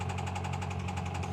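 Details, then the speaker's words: 2000 Honda Civic coupe, 233,350 miles, sat about two years, at idle: steady low idle with a regular knock about eleven times a second deep in the block; bottom end knock, needs a new bottom end. "Or rather, here you hear that. That sounds terrible. That's how we got it for so cheap. Needs a new bottom end."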